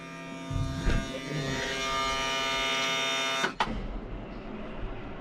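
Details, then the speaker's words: Road grader diesel that sat long; fuel shutoff solenoid spring too weak to pull shutoff lever fully forward, lever in normal position: steady buzzing whir cranking about three seconds then stops; hard starting, long cranking, owner says not the fuel. "I'll show you how it won't start it'll crank and crank and crank and finally start"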